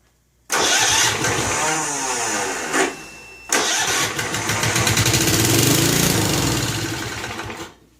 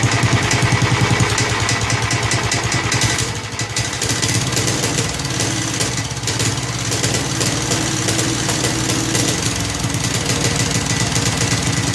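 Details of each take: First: Snapper Hi-Vac commercial mower, around 1988, Robin/Wisconsin engine, on choke with gas squirted into the carburetor: two long chugging starter bursts, never fires; owner suspects fuel isn't reaching the carburetor through the fuel line. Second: Snapper Hi-Vac commercial mower, around 1988, with Robin/Wisconsin engine, running after carburetor fiddling: smooth, steady single-cylinder chug, no knocks or misses; motor sounds good when running correctly, though carburetor leaks and needs a kit.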